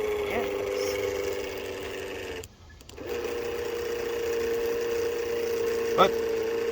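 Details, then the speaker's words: 1966 Dodge Dart with a big-cam 273, revived after sitting neglected for years; the electric fuel pump gives a steady, harsh buzzing whine at one pitch while priming, with a short break, and sounds rough and noisy. "wow that fuel pump sounds like crap"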